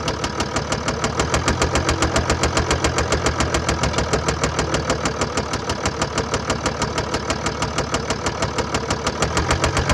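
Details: 2013 Mercedes-Benz E350 4Matic, 2987cc 265PS diesel (engine code NZAAB501), 224,763 km, at idle. A steady hard knock about three per second sits over the idle. Engine knock attributed to bearing damage and a defective injector.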